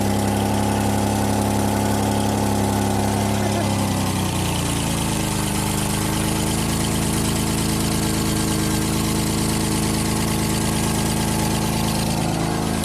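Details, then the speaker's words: 2006 Hyundai Tucson 2.7 V6 AWD, 225k miles, idling after relay contact cleaning: loud raspy idle with steady puffing chuff at every firing pulse, settling lower after a few seconds; exhaust leak where one more flex pipe is still to install. "I guess I got one more flex pipe to install, and this thing will be ready for the open road."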